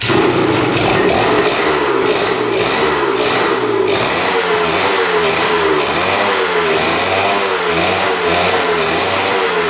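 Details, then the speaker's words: 1977 Kawasaki KE100 two-stroke enduro, first start in over 10 years after a carb clean, fresh fuel, good compression and spark: a ragged, boggy buzz with revs surging and sagging. It runs only on choke and won't idle; air-screw adjustment follows. "Heat doesn't want to run without the choke. Doesn't say idling."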